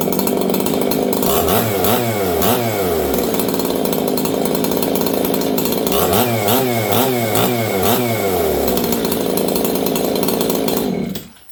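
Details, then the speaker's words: Old Jonsered 630 chainsaw with a new Husqvarna full wrap bar, first run since last used in winter. Burbling, uneven idle broken by two throttle blips that wail up and drop back; running rich. "She's rich. See that, friends? Last time I ran this, it was winter, and you guys can hear it right now. It's rich."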